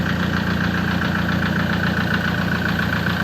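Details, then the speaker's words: 2004 Toyota Tiger D4D common-rail diesel pickup, started easily and idling: steady, even clatter with no loose knocks; engine tight and healthy, normal idle. "เครื่องไม่หลวมครับไม่มีควันไม่มีไอเครื่องยังดีครับเครื่องยังแน่น"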